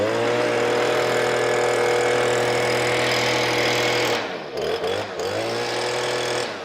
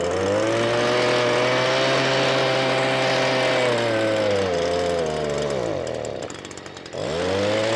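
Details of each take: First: Stihl BG86 blower that bogged down, after replacing the clogged carburetor with a new one: strong steady high-revving buzz, clean drops and pickups on the throttle with no bogging; runs right. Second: Stihl BG86 two-stroke blower, customer complaint of bogging, gooey residue around carburetor: revs high then sags and nearly dies before recovering under throttle; faulty carburetor, being replaced.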